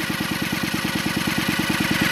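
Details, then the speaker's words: Stihl TS 420 cut-off saw spun over on the flywheel side after cylinder installation, to seat the rings: a steady whirr with an even pulse of about eleven per second, no knocks or grinding; smooth rotation. "I'm just testing everything make sure I got a nice smooth run on it let the Rings seat themselves"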